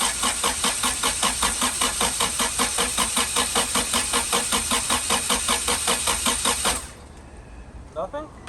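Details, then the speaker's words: Integra on day two of a stolen-car rebuild, first start attempt: starter cranks evenly about 2.5 turns per second for nearly seven seconds but never catches; crank no start, later believed a fuel problem. "All right. So, we're cranking over. That's the first attempt."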